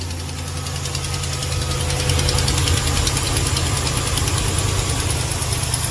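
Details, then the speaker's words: Ram 1500 Hemi at cold start in the morning: quick sharp puffing tick, about three per second, over idle; it goes away when warm. Not lifter or cam; a broken rear exhaust manifold stud/nut leak is suspected, not yet confirmed. "Okay. It's first thing in the morning cold. That is not a lifter cam shaft type ticket. All right, guys. Do not get fooled. Do not get tricked."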